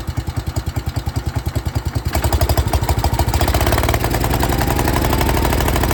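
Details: 1972 John Deere 110 garden tractor single-cylinder engine, hard start: chugs unevenly at about 200 beats a minute, then picks up speed but stays rough and lumpy; owner believes a blown head gasket, unconfirmed.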